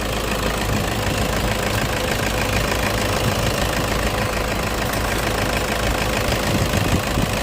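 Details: Toyota engine in an AC compressor clutch magnet replacement job: smooth, steady idle with an even low rumble and no knocks, misses or clutch noise; running normally.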